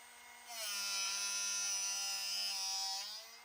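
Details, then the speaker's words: Drill bit sharpener set to a 135-degree angle, bit rotated without pushing down: the motor spins up to a steady high whine with an even grinding hiss, then winds down when grinding is finished; normal grinding. "And just keep rotating. And you'll hear it when it, the grinding is finished on the drill bit itself."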